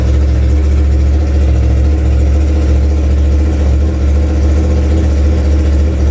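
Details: 2016 Yamaha R1 at idle: loud deep drone with a slightly uneven, stumbling pulse suggesting a cylinder misfire; being diagnosed with a multimeter back-probed at injector 4. Cause suspected, not confirmed.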